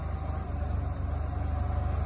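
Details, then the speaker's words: Boom lift gasoline engine (carb rebuilt) after the platform was changed: steady, even low idle with no misses or stumbles, though the owner is not sure it is fixed. "I'm gonna go hit the button you watch the engine that might have fixed it so I changed the platform it's idling very well"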